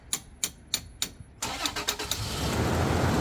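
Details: Car with a failing starter motor, tapped four times about a third of a second apart to free it, then the starter cranks and the engine catches into a steady idle; normal engine start.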